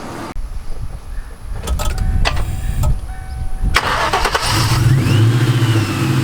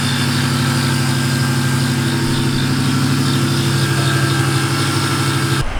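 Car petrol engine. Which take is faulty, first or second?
second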